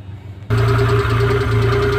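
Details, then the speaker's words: F6A engine that had weak pulling and misfire, started after valve clearance adjustment and refitting the cover: short crank, catches, then holds a steady even idle with a low drone and no misfire; now running fairly okay. "guys pinaandar natin yung makina so Medyo okay na"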